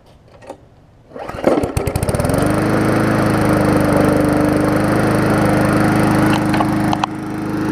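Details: Murray 3.5hp Classic push mower after service, testing newly wired toggle kill switch: a few pull-cranking chuffs, engine catches and settles into steady even drone; starts and runs normally.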